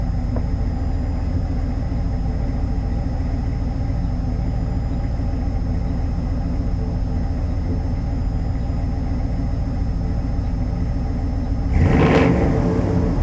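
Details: 1990 Chevy K5 Blazer, 350 5.7 V8 originally TBI with Crane cam, still cold; deep, even idle rumble, then a clean quick rev with no knocks or ticks; running great.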